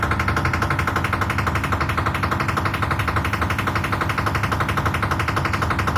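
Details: IFB 10 kg Aqua washing machine running: loud, steady hammering at about three evenly spaced knocks per second. Repetitive banging, cause not yet known.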